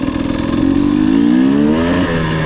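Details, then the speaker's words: 2020 KTM TPI two-stroke at low 0–1/4 throttle after swapping the cylinder port sensor with the ambient sensor: smooth rise and fall of revs, no sputter or misfire, idle now correct; earlier sputtering fixed. "see how clean that is now just completely fixed it"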